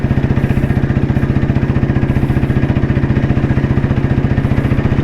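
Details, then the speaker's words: 1993 Royal Enfield Bullet C-engine with crank weight, while riding, mic inside helmet: steady, even thump about 220 beats a minute with deep, regular exhaust pulse. Single running cleanly, normal exhaust note. "ഈ ഓടിച്ചു പോകുമ്പോൾ നമുക്ക് കേൾക്കുന്ന ഒരു ശബ്ദം ഉണ്ടല്ലോ അത് നമുക്കൊരു പ്രത്യേക വൈബ് ആണത്. പ്രത്യേകം ഒരു ഫീൽ കിട്ടും എന്നുള്ളതാണ്."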